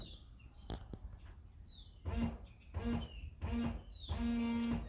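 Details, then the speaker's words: Fiat Palio washer after repairing a ruptured hose inside the pillar: four short electric hums, the last held longer, with steady low buzz and water hiss as water sprays; washer pump works normally, rear wiper still not. "Olha aí saindo água beleza"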